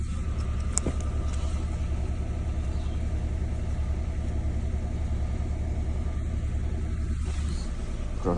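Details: Peugeot 107 with engine management light on, diagnostic code cylinder 2 misfire: low, lumpy petrol idle with an uneven beat; plugs found in poor state, and the fault was a failed ignition coil.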